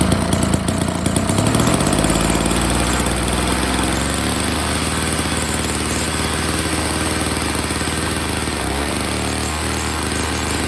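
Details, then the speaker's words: Old Snapper two-stroke snow blower, after a customer's pre-winter service, run with the cover off to check impeller engagement; picks up quickly to an even, steady buzz, running great: normal running. "All right, she's running great."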